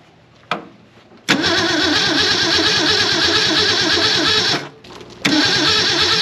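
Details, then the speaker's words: 1964 Ford Falcon four-door, six-cylinder, 3-speed column, sitting since about 1984: cranks, catches, steady even idle, cuts out briefly, restarts smoothly; sounds pretty good. "That sounds pretty good. I don't know who built that carburetor."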